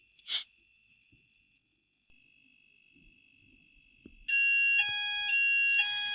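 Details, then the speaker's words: Apollo XP95 fire alarm test with a sounder base: a faint tone, then a loud, shrill, pulsing two-tone alarm that keeps cycling and the light is on; the sounder works, though the optical detector was apparently unaddressed. "And it is working. As you can hear, the alarm is going off. And uh the light is on."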